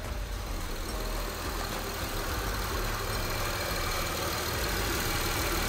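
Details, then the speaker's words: Honda Pilot started just after both catalytic converters were replaced for codes P0420/P0430: a smooth, even, quiet idle with no ticking, rattle or exhaust blow, and no engine light. Engine sounds healthy. "Let's start it. There you go. No engine light. Sounds quiet."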